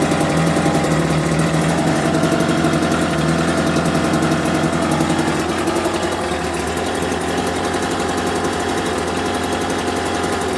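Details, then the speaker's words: Homelite UT08572 small two-stroke, just restored and not yet warmed up, chugs at a slow, slightly uneven idle, barely hanging on; idle too low and needs raising, and it had died on its own. "like the idle's a little bit too low. Okay, that's a two minute mark. But fact that died on its own is not a great sign."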